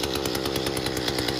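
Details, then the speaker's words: Mantis two-stroke tiller after a new fuel tank and fuel lines, choke out, temporarily running a dirty air filter: fast, even buzzing with no misses or stumbles. The engine starts and runs smoothly with no gas leak. "all right all right guys so it looks like it started up sounds like it's running pretty good"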